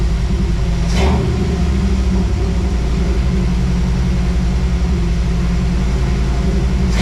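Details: 1978 Toyota Land Cruiser with fresh 350 V8, after fuel-related fixes: steady even low rumble with smooth unchanging beat; the V8 settles into a clean, healthy normal idle.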